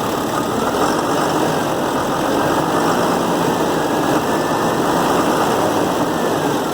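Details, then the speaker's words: 2007 Ford F750 with 5.9 Cummins diesel and six-speed manual, idling with a steady, even clatter and no misses after replacing the number four injector that caused a rough idle and check engine light. "yep you let off the throttle it sounds good it idles good"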